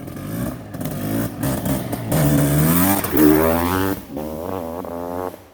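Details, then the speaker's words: Honda CR500R Kaplan America Edition two-stroke with a short rod and no power valve, during a tuning session: uneven, wet blubbering at low revs that clears as the throttle opens, showing it is definitely jetted rich at the bottom end. "I'm not sure if I think the power curve's a little bit different on the short rod, but it's definitely rich down bottom."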